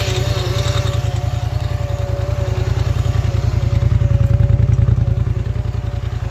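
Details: Polaris Scrambler XP 1000 S engine running: a fast, very even low thumping of about 3.5 beats per second plus a faint whistle; source of the weird noise unidentified.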